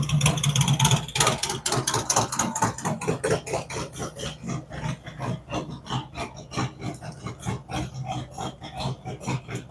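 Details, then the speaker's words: Freshly built cammed V-twin on initial idle tune, warming toward 180°, idle dropping as temperature rises with only small map corrections; lumpy even idle a bit over two beats a second, no misses or knocks; normal idle. "as the engine temperature comes up and we're spot on with the map it's only making small increments changes as it goes along"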